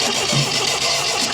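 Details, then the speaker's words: 1974 MGB GT sitting 29 years, just started after correcting firing order to 1-3-4-2: loud, lumpy, unevenly spaced firing; sounds down on compression on a cylinder, vapour from oil breather, seems fuel-starved once running, choke tried. "it does sound like it's down a compression on a cylinder now i'll try a bit of choke yeah it's like starving itself for fuel once it gets going"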